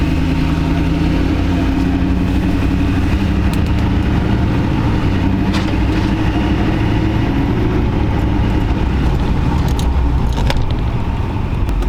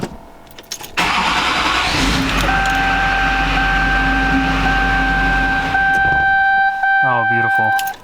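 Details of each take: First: 20-year-old Duramax diesel pickup, recently new injectors, cooling system just opened and topped off, sat a while; deep steady idle, even unbroken beat, no whistle or knock, no boost leaks heard; normal idle. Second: 20-year-old Duramax diesel truck, first start after repairs, no DTCs: cranks, catches, runs briefly with diesel clatter then dies within seconds; engine stalls right after starting, owner suspects fuel loss, fuel pressure read 5600–5800.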